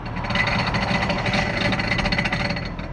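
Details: Audi Allroad 2.7T automatic: harsh, rough grinding with fast uneven chatter, about three or four pulses a second, over the running engine; source not identified.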